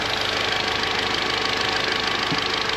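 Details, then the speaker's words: Warm Audi TT Mk3 idling at its usual 90° after water pump and thermostat replacement, waiting for the fans; steady even idle with constant fan hiss, no leaks after long running; normal. "so far so good there's no leaks car's been running for ages now and nothing's come out the bottoms which is obviously good"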